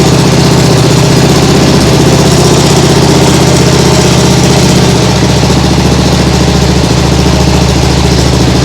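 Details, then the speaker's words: Nibbi G619 walk-behind tractor engine after carburettor work to fix hunting; throttle at lowest position, low steady buzzing idle, even beat, no surging, like a sewing machine. "yeah that sounds much better like a sewing machine that sounds great really great"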